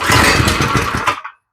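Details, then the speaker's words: Deadpool go-kart small engine, first start with new spark plug: cranks with a few uneven pops that almost catch, then dies after about a second; hard start. "she almost started first start no"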